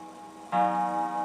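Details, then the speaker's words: German wall clock being restored, after reseating and tightening the mechanism: a single clean gong strike rings out with a steady, slowly fading tone; the striker gong, suspected faulty, works properly. "And we just got to work out why the striker gong is not working. Oh, it is. There we go."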